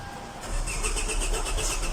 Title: HYUNDAI ELANTRA: NO START ISSUE #autotechnician #hyundai